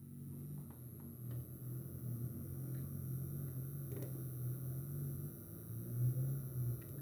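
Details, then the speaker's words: XPG Pylon 650W 80 Plus Bronze PC power supply, few days old, in Ryzen 5 5600, RTX 3060, Asus TUF B550M build: intermittent bee-like buzz that swells, fades, stops and returns; cause unknown. "Parecendo um chiado, parecendo uma abelha. Então eu não sei o que pode ser, às vezes faz, às vezes não faz, às vezes para, aí do nada volta, às vezes fica até mais alto, sabe?"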